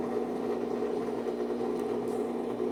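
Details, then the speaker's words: Brastemp washing machine running with a quiet, even hum and no rubbing or scraping after its loose belt was tightened; the machine now runs normally. "ó lá pessoal era só um aperto na Correia acabou o problema"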